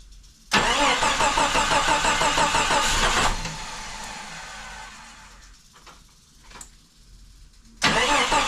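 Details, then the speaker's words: Jeep Cherokee, dormant eight years, on its first start: engine catches and runs rough in bursts with a hissy sucking rush, then dies. Many vacuum hoses are leaking; oil pressure read about 50–60 psi and something was smoking. "I heard a sucking noise like it's uh I'm here in a vacuum leak that's obvious I mean I got so many vacuum hoses leaking here"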